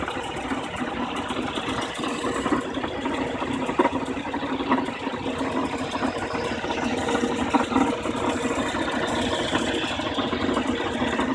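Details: BMW E36 316i with M43 petrol engine: even idle with a light, uneven rattly ticking on top; unusual engine noise at idle, source not yet pinned down.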